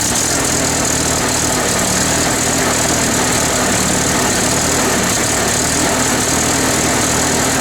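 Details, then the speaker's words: International Harvester 354 tractor idling: ragged, uneven running with irregular spits and sputters, running well for a minute then stumbling. A carb cleaning did not help; the misfire was an ignition fault, fixed with new points and condenser. "So there you can hear it spitting and sputtering. It kind of will run good for a minute and then it'll start doing this."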